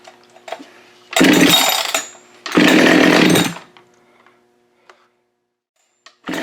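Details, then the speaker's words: Husqvarna 572XP chainsaw built from used parts, first start after muffler mod: screams through two long revving bursts, then drops almost to nothing with faint blips; erratic untuned running while AutoTune relearns. "yeah that's gonna be all screwed up for a little bit everything's all different on it so the card reader doesn't know what to do just yet"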